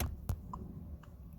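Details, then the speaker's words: 2007 Chevy Colorado turn signal sounder, a speaker on the back of the instrument cluster (no conventional flasher), after replacing the speaker: soft electronic tick about once a second over a quiet cab, left and right; the signal sound now works normally. "hey I have my Tick Tock my signal side and we can hear Let Me Go a Little Closer left side right side hey it's working now"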